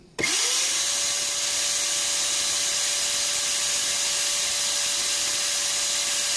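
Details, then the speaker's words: Multipro ESP99HP electric spray gun motor before bearing replacement, drawing about 420 W at start then 410 W: instant spin-up to clean steady high whine with airy hiss, no rumble or rattle; motor and bearing still very good. "berarti sebenarnya berarti eee motornya sama si sangat bagus masih sangat bagus dan bearing-nya juga masih bagus gitu"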